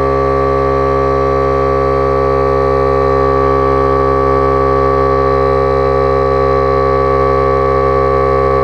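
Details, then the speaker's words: Milwaukee M18 cordless tire inflator with built-in motor cooling fan inflating a tire: steady single even pitch, no rattle or wavering; normal running. "another thing is the the noise on this as you can hear was like one solid pitch unlike the other inflators they're really like they have like a real bad rattle sound"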